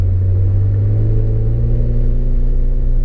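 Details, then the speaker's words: 1988 Acura Legend KA4 sedan with Honda V6, first road drive after sitting 10 years, after rebuilt fuel injectors, a replacement ECU and fuel pump; tachometer not working. Steady, smooth cruising rumble with good throttle response, no CV-joint clicking or clunks: normal driving. "Đây là phản ứng ga khá tốt không có tiếng lách cách từ khớp cv động cơ có âm thanh tốt"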